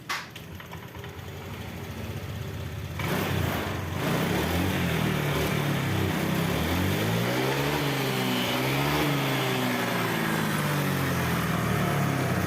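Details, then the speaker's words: Honda Vario 125 scooter, after the TPS was shifted down to fix power loss and stalling on throttle: revs rise and fall smoothly with no bogging or crackle; fuel pump pressure 40 PSI; throttle response normal. "ini gas sudah mengisi ya teman-teman. Gasnya sudah tidak ngempos lagi, sudah tidak bunyi kretek-kretek lagi."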